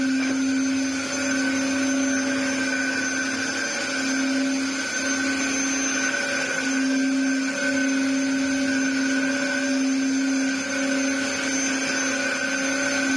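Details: Dyson DC07 Clic (limited edition) after restoration and replacement parts, with a broken clip on the clutch cover area. While vacuuming, a thin, high, constant whine sits over the motor roar. Owner unsure whether a part is warped; cause not confirmed.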